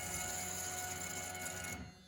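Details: 5.3 LS-swapped Fox body Mustang, key on before first start after repairing a fuel rail drilled into an injector port. A steady high-pitched electric hum runs a couple of seconds then cuts off: the fuel pump is priming normally.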